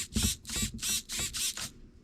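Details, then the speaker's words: Redcat MT18 RC truck steering servo, a cheap metal-gear MG replacement for one with a stripped brass gear tooth, first test on channel 1: five quick high-pitched electric buzzes as it sweeps back and forth; working normally. "Oops, this button here, let's see if it's working first of all. Sounds like it's working."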